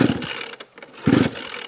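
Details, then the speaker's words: Newly bought used project, on choke with fuel on and a little fuel added: two bursts of heavy, even clunks as it is kicked over, with solid compression resistance, but it never fires. "I can feel it you feel about the resistance from the compression inside so obviously that's a good thing"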